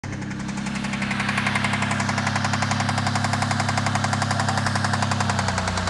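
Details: Cougar engine running steadily with an undiagnosed knock: a sharp, regular knock nearly four times a second.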